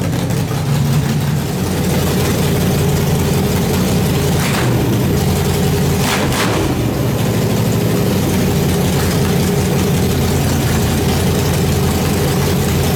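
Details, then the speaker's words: Nitrous small-block Chevy V8 build, first run: after a too-much-fuel start, tires spinning and talk of turning fuel pressure down, it settles into a deep, even, steady idle rumble with no misses or knocks; normal idle. "but there it is it starts it runs it idles uh even at one point we had the tire spinning"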